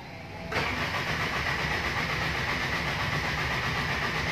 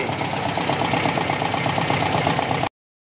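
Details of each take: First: Toyota Tamaraw FX gasoline engine, in neutral after charging the battery: strong, even cranking about four beats a second for several seconds without catching; crank no start, traced to no power reaching the ignition coil positive from the ignition switch. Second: Toyota Tamaraw FX petrol engine that had cranked without starting, now running after the battery was charged and power was restored to the ignition coil: steady idle with light, even ticking and no misses; normal idle.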